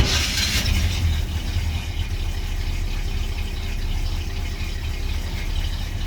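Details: 1984 Chevy C20 V8 with Edelbrock 600 carburetor after tuning (metering rods, jets), started without pumping the throttle; steady, even deep rumble with no misses or pops, idling cleanly: normal running.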